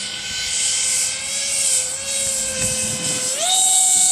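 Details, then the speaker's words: RC CRJ-200 jet in flight before a crosswind landing, battery nearly depleted: high electric motor whine wavers unevenly then jumps in pitch; one motor seems to be slowing, possibly running on only one motor. "do you hear that sounds like one of your Motors is slowing down"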